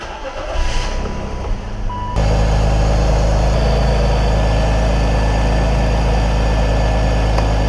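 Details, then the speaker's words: 2003 BMW X5, 3.0 M54 engine, not run in a while, started after a second DISA valve rebuild (first rebuild's parts failed prematurely): cranks, catches, settles to a heavy, slightly uneven idle; still running rough, cause not pinned down. "yeah it's the D valve that'll be episode one she's really not [ __ ] happy now though"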